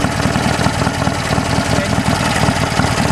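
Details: Heavily modified BSA A10 twin idling steadily after replacing timed breather with two one-way Bunn breather valves: light quick clacking in time with firing from the valves; engine healthy, normal idle.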